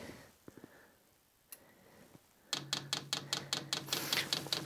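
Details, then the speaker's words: Vevor diesel workshop heater (Webasto-type), empty fuel lines, garage around 0–1 °C; steady tick two or three times a second over a low hum as the fuel pump primes normally. "il va falloir appuyer à la fois sur plus et moins pour amorcer la pompe à gasoil donc j'appuie là et normalement vous entendez la pompe"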